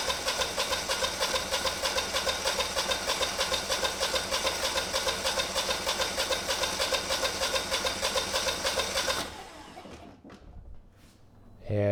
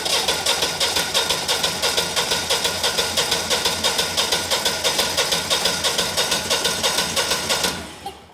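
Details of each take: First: Generac 20kW standby generator, GTH-999 999cc engine on propane, start attempt: starter spins about three turns a second for about nine seconds with no firing; cranks but won't start, no spark suspected. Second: Generac 20kW standby generator, GTH-999 999cc high-compression propane engine, compression test on first cylinder reading about 210–215 PSI: even starter cranking about three beats per second, every stroke matching; strong, even compression.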